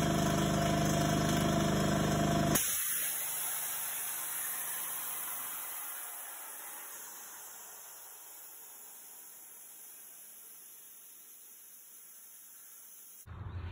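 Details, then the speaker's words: Fortress 5 gallon air compressor, about a year old: motor drone stops into sharp fading hiss as relief valve blows near 275 psi after failing to cut off at 225 psi; owner suspects failed pressure switch; overpressure venting. "okay so as you heard it should have shut off around 225 psi but it climbed all the way up to probably almost 275 before it finally blew that pressure relief valve"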